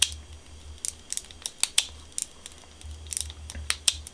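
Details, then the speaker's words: Old Shimano 100GS bike shifter after cleaning and relubing with chain lube gives crisp, light clicks with no grinding or dragging; normal shifter clicks. "and that feels a lot better"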